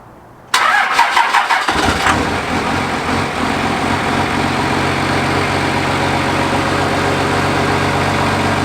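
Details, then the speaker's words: Truck started after a belt replacement meant to cure a startup squeak; the starter cranks briefly, the engine catches and settles to an even idle with no squeal, so the belt drive sounds healthy. "I didn't hear a squeak, did you?"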